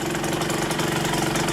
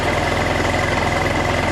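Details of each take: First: KSR Moto with Austrian-built AM6 50cc two-stroke engine after repair, starting without choke: quick, even putter at idle with no misses or knocks; the engine idles cleanly and healthily, with no leaks anywhere. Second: KSR Moto with AM6 50cc two-stroke, reassembled and warming up: idles with a busy, rattly mechanical noise under the exhaust buzz; the mechanic says the engine is really noisy and suspects the bearings need work, unconfirmed.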